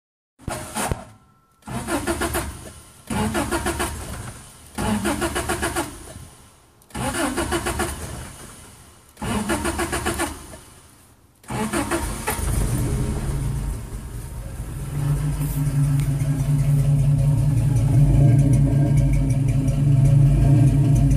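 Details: 1985 22RE engine misfire. After several bursts of cranking, the petrol engine catches and runs with an uneven, stumbling beat.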